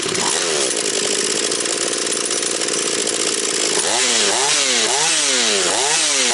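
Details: Husqvarna 240 chainsaw after rebuild, still breaking in, idle to be raised: high steady scream dips and recovers as the chain bites into wood, rising clean between cuts; smoking slightly afterwards; healthy, well-tuned saw.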